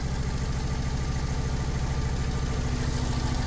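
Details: 2002 Fiat Punto 1.2 petrol, shaking, engine light flashing, coil 2 fault code, non-original coils very hot: low lumpy idle, no rpm change with coil 2 unplugged, dead cylinder suspected.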